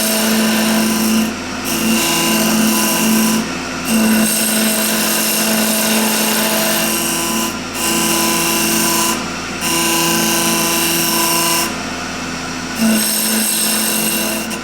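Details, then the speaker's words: Woodturning lathe with shear cutter shaping the outside of an ash/maple segmented bowl on a glue hub with tailstock support; steady motor drone with rough, uneven scraping cut as end grain chips; speed too low, raising to 2,000–3,000 cured it. "Yeah, I don't like that sound. Yeah, it's chipping a little bit, so it's not cutting quite right."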